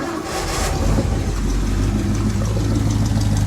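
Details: 1975 Ford F-100 V8, abandoned for 17 years, started after replacing the ignition wires, coil and Duraspark module and patching a broken wire: it catches, runs strong and even, and revs cleanly with no misfire or stumble. Normal start and rev.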